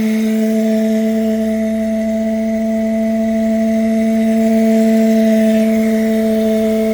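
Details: 1UZ-FE V8 on a Link Monsoon ECU with a 2-wire idle speed control unit from a different manufacturer and no heavy-duty hose: a loud, steady, bowl-like hum over a quiet idle as the idle control valve resonates through its hose.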